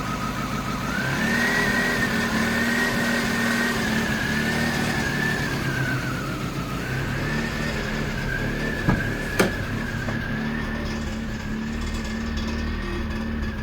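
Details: 1998 Mazda 323 in Park after cleaning throttle body, IAC, MAF, intake tube and distributor cap: idle holds roughly then sags midway, staying lower and uneven; rough idle with rpm drop (R/D idles near 1000 then drops to 100-500 rpm), cause unknown.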